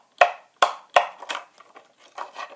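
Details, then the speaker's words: Sharp dry clicks from a lawnmower-type starter solenoid engaging when the key is turned with the car alarm disarmed. This is normal, showing the starter-kill circuit is enabled; when the alarm is armed the click is absent. "So if I put my key in the ignition right now and cuz now that it's disarmed in turn you hear that click that's the solen this is a lawnmower solenoid."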